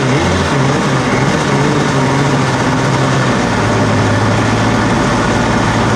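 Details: Cheap used Yamaha WaveRunner two-stroke on new mixed gas, after the fuel valve was switched from off to on: loud, busy drone holding steady, pitch stepping slightly but never stalling; engine runs normally.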